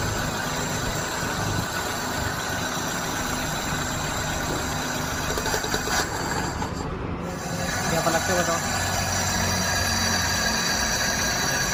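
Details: Maruti Wagon R small petrol engine idling with an uneven, stumbling beat, a cylinder misfire; cause suspected, not confirmed.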